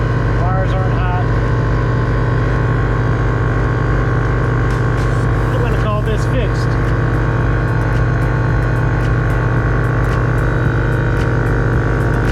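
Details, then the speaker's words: Right air-suspension compressor on a bagged Lincoln Continental after a full rewire with a new short ground and a custom-mounted AccuAir E-Level ECU (loose solenoid wire and ground were suspected of frying wires): steady, even low hum, no knocking or rattling; running normally. "Got my short ground on this one for the right compressor. And so I think I'll fire it up."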